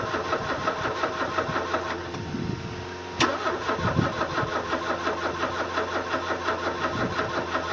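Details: 1979 Porsche 924 (CIS fuel injection, dog-leg gearbox) cranks steadily at about three turns a second but never catches or fires; owner suspects flooding, injectors firing constantly, and a poor battery connection; after exhaust, fuel pump, CIS, injector O-ring and radiator work.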